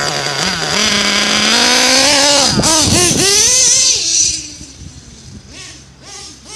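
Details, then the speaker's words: Modded nitro RC Nova engine with a Rossi pipe, still cold: the high-pitched rev climbs, then sags and burbles unevenly as it falls back; running too rich. "really rich right now Brian Walsh"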